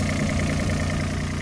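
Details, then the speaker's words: Mini excavator diesel engine at idle, crankcase cap not lifting, little blow-by and no oil: steady even low rumble with no knocks or misses; smooth-running, good piston seals, normal diesel idle. "which basically means you've got good seals around your pistons nothing's blowing by pushing up into the crankcase as you can see there no like oil or anything coming out of there good smooth running engine it's got a lot of life left in it"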